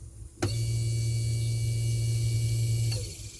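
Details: Newly replaced boat aerator and bilge pumps after rewiring with new switches and fused leads: pump switches on and runs with a steady, even low hum at constant pitch, then shuts off cleanly; working properly.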